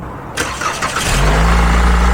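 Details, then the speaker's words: 2014 Chevrolet Impala, 150k miles, in for needing regular jump starts and flickering radio/dash lights: short starter crank, catches within a second, smooth steady idle; normal cranking and start, battery-to-connector-plate voltage drop during cranking measured fine. "Okay, so we had a voltage drop. Do that one more time. So, 23 volts of a voltage drop during cranking, which is perfect."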